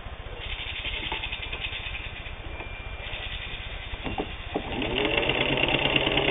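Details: Singer 15-91 WWII-era all-steel sewing machine, can-type internal motor with worm gear drive, sewing doubled denim under load: quick, even stitching clatter over steady motor whir that speeds up slightly; normal running.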